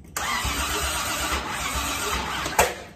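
Steady, even starter churning of roughly two and a half seconds with no firing or catch, then it stops: cranks, no start.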